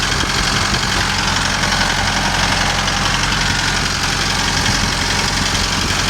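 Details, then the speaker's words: Kubota M6060 tractor diesel that bogged and stalled when warm from a fuel issue, running after rust debris was blown out of a 90° elbow and fuel lines cleaned and primed; steady even idle, no stumble or bogging, thought to be fixed. "Looks like he's still out here running that thing, trying to get it to act up. I think we fixed this problem."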